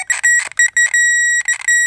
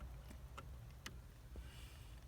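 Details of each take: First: Power probe circuit tester hooked directly to the battery with long leads, checking fuses on a Saturn: short bursts of high steady beep on each contact; it gives different sounds for ground and power. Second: Power probe connected directly to battery, probing both sides of fuses in a Saturn fuse panel: quiet, then sharp high beeps in two bursts signalling power; the top fuse is found blown.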